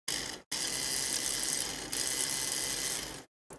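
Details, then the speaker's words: Motorised sensor bin lid, replacement gear motor powered at 9 V on the bench, run forward and backward: dry, rapid, high, even gear chatter in two spells with a pause; works fine before cleaning and greasing the gears. "i'll just show you the mechanism and this one works fine so it's just a bunch of gear heads"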